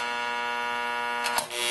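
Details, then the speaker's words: NuTone IM3003 radio intercom master station on a bench test with inside and door speakers: the loud background hum, its most common failure, swells and wavers in pitch when door talk is pressed. "so the hum right now is present doesn't sound horrible but watch what happens we push door talk and the loudness of the hum increases"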